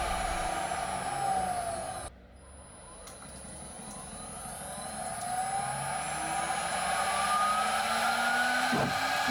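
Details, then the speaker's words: DMC2 Mini mill cutting with a 6 mm end mill at 1 mm step over, in 6061 aluminum or cold rolled steel: high spindle whine and cutting chatter, pitch sagging then recovering; spindle audibly starting to bog, about its practical load limit. "Towards the end here, cutting with a 6mm tool at 1mm step over sounds like about the most you'd want to push the spindle, since it's audibly starting to bog down."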